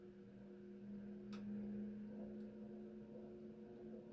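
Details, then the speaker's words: Fasco Heat Cycler model C52 commercial/industrial ceiling fan running: quiet, steady low hum and whir with no ticking or scraping; louder than expected for all metal and plastic construction, not silent. "That one yeah, it's not silent. Oh. I would have expected these to be. Well, I wouldn't have thought it'd be that loud. Well, it is all metal on metal and plastic."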